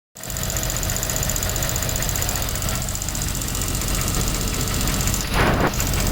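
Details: 2001 Land Rover Discovery 2 aluminum engine at steady idle with irregular loud clicking, louder from underneath; machine shop said head problem needing sleeves, owner unsure; oxygen sensor check engine light on.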